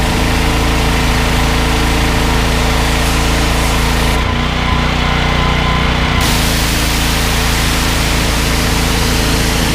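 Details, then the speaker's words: On a Briggs & Stratton XR2100 14 hp engine driving a 21-litre pressure washer pump, a smooth drone dips only briefly when the trigger is pulled, then holds speed without dying. The engine is healthy under load. "I think that speaks for itself you could hear ie how easy the engine was to start and you can you see on the pressure gears out it's certainly not dying when you pull the trigger"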